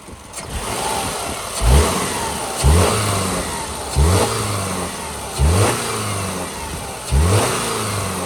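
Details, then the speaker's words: 2010 Subaru Forester AWD Premium, 83,000 miles, one owner, fully serviced: under-hood recording of five clean, even throttle blips from idle, smooth rise and fall, no knocks or ticks; healthy normal revving. "all right and I will WRA it up a little bit here so you can hear it"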